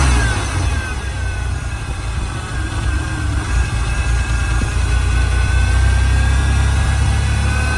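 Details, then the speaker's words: 3.0 V6 with 5-speed from a wrecked Ranger, at idle. The idle is steady in level but lumpy and uneven, with a faint hiss behind it. The owner suspects broken vacuum lines sucking air, not confirmed. "It's got a horrible idle though. And I'm thinking because all those vacuum lines are broke over there, you can hear it sucking air."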